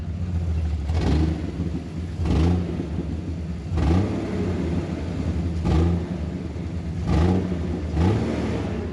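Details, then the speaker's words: Jeep running choppy, stuttering and surging despite harness checks, slightly better with clutch held in; throwout bearing replaced a week earlier; owner suspects the coil rail, unconfirmed. "If I do hold in the clutch, it does sound a bit better. You can hear that. And yes, we did just do the throwout bearing, literally like a week ago. But you can still hear it kind of stuttering."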